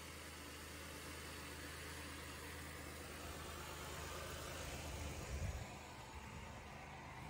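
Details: Flooded Buick Rendezvous (high water) after oil pressure built up: steady, even idle with a low smooth rumble. An earlier knock seems to have cleared, with possible trapped exhaust moisture, and it runs really well: normal idle.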